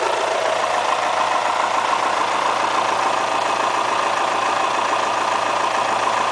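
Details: Kia Spectra, mileage 90000, at idle: a busy, even ticking clatter over the hum, much like a diesel; the owner asks whether it is critical, and the cause is unknown.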